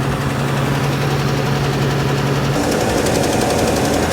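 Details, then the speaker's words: 1969 Ford Bronco with a new intake and carb, idling rich just after a fuel pump and wiring fix: a sharp, rapid puffing tick over the V8 rumble that tracks engine speed. An exhaust leak on one side. "Sounds like a pretty nasty exhaust leak on that side."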